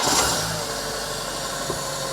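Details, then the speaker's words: Fiat Panda after replacing a leaking metal coolant pipe that was losing coolant fast: even, steady idle with no misses, ticks or knocks, running smoothly. "sounds really smooth."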